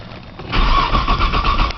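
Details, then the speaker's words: Cold 1995 Nissan Maxima, 210,000 miles, push-button start, in snow, pedal lightly fluttered; owner suspects a bad sensor: starter churns in even pulses about four per second, never catching or firing. Long crank, no start. "just trying to crank this thing man you Cate your pie jump I think it's got a sensor sensor bad or something"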